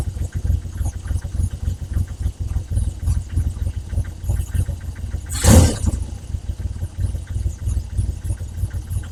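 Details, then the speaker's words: Triumph Trident T160 triple, engine a bit warm, first start after re-jetting carbs (needle jets) and removing exhaust rocker box for oil leak: ticks over evenly at low pitch with no hunting, stand rattling briefly; idle now settled, previously erratic. "Nice. I mean, that's really nice. That tick over is now settling. You know, it was a very erratic before and now, great."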